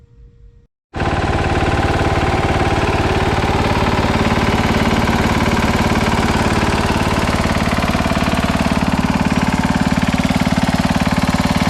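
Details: 1968 Sears Suburban 12 hp tractor with Tecumseh single-cylinder engine, about 55 years old, running: loud thumping around three beats a second with a lumpy, uneven pulse; tired, worn engine, exact cause unknown.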